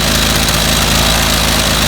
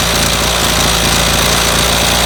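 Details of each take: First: 25cc two-cycle string trimmer with no fuel filter that stalled after five minutes, while the high-speed screw is being adjusted: a steady, high two-stroke buzz at full throttle, even with no sag. A clogged screen was found as the problem. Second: 25cc two-stroke string trimmer that stalls after about five minutes, fitted with no fuel filter: loud, buzzy, fast and fairly steady running while the low-speed mixture is adjusted with the throttle held open. No clear misfire.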